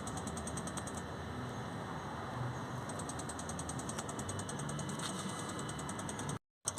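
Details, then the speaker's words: Ford vaporizer (DPF) fuel pump, heard from underneath after vaporizer repair with ignition switched on: faint, quick, even ticking over a steady hiss as the small pump primes fuel and purges air; normal priming tick. "if we go underneath you'll hear it should be able hear a little faint ticking noise there from the fuel pump that's just down"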